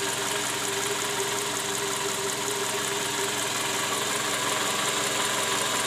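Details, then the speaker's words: Toyota Camry with 2JZ engine, 148,000 km, idling; heard from underneath: loud, fast uneven rapping about three knocks a second at the oil pan (karter), rough busy idle; worn, scored balancer shaft bearings, likely from improper installation with under-torqued bolts. "Hai nah disini terdengar bunyi keras terutama di bagian Karter oli mesin"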